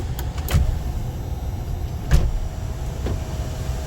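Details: 2014 GMC Sierra SLT 4WD 6.2L L86 with intermittent sunroof operation, no codes, during circuit testing: smooth, even electric whir of the sunroof motor over low vehicle rumble, no grinding or catching.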